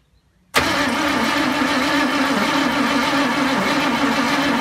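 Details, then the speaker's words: 1974 ZG Fairlane engine, first start attempt: it has spark and fires intermittently but backfires through the carby. Owner suspected vacuum issues, then questioned the firing order. Steady cranking churn with an uneven wavering note, catching now and then but never running. "well it's a different day we had to go firing it off the other day and we're getting just backfiring through the carbie and i thought it might be just some um vacuum issues"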